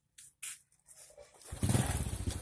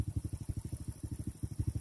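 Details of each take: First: Honda Supra carburetted moped just after starting: loose, uneven exhaust beat with lumpy pulses at idle because the carburetor air screw setting is wrong. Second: Honda Supra carbureted underbone motorcycle after adjusting carburetor air screw and idle rpm: soft even low thumping about ten beats a second with no stumbles or hunting; normal idle.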